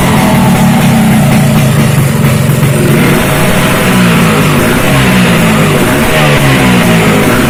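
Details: Freshly built racing Vespa two-stroke with direct-mounted reed intake, Japanese carburetor, uprated clutch spring and SRP competition exhaust, first start: loud raspy engine picking up cleanly through several blips and settling back to idle without misfires or hesitation.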